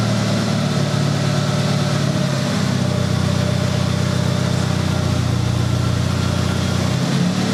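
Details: 1996 Honda Accord after completed head gasket job, first run in about a month: smooth, steady low hum with a small change in engine note mid-clip, no ticking, knocking or misfire; normal idle.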